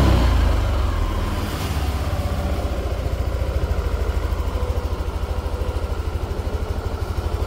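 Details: Yamaha NMAX Neo S scooter on Castrol Magnatec 10W-40 oil, cold start after about 30 hours unused: low, even putter at about three beats a second, no ticking or misses; smooth normal cold idle.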